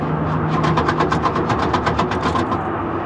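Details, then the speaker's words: Old Chevy single-cab truck at auction preview, non-running, with fresh oil and no battery, jump-started: the starter cranks in uneven bursts with lots of rattling and clunking from inside the engine, and it never starts. "I heard lots of rattling and clunking coming from inside the engine."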